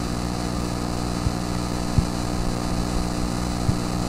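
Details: Desktop PC connected to a Pyle 3000 W stereo amplifier: steady low buzzing hum with a few faint clicks, unchanged throughout; ground loop noise that did not occur with a laptop.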